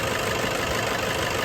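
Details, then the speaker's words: Toyota Hilux 2KD diesel, manual 4x4, restarted after several hours of running-in following overhaul for seizure after an oil warning: starts easily and idles with an even, steady clatter, no misfire or hunting. "Kita coba tes hidupkan lagi teman-teman untuk Toyota Hux. Ini mesinnya sudah mudah hidupnya ya."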